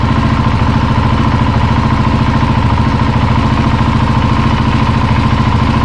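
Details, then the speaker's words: Husqvarna 701 Enduro Euro5 single after rebuild, new thermostat, coolant near 70°C during bleeding, no more bubbles: even, steady thump about 200 a minute with no ticks or rattles; runs nicely, normal idle. "so jetzt hab wir ein ersten Schritt schon mal fertig und ihr habt schon gehört h läuft schon richtig schön"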